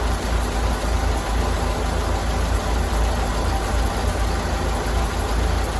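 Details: 1932 Ford Model B four-cylinder, idling after the spark plugs were cleaned, which the owner suspects were the cause. Low, even chug at a steady idle with no misfires or stumbles.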